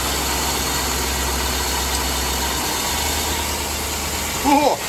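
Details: 2005 Chevy Tahoe idling after water pump and thermostat replacement while checking for coolant leaks; smooth even low rumble at steady pitch, no knocks or misses, normal idle, no big leaks.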